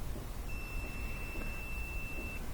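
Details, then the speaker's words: GMC/Chevy rear window defogger with 12 V present. A multimeter is placed across a grid trace and gives a steady high continuity beep, so this trace is intact and unbroken. "it's continuity yeah so we're getting uh you can hear it beep so electrons can flow through"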